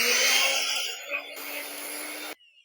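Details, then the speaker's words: Mixer grinder that caught fire in use, burnt switch replaced and motor cleaned, tested before closing the cover: brief high-pitched motor whir spinning up and cutting off cleanly, no grinding or rattling; normal motor run after repair. "അടിപൊളിയായിട്ട് നമ്മുടെ mixie work ചെയ്യുന്നുണ്ട്"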